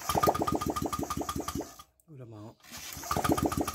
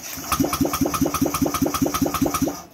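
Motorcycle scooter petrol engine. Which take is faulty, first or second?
second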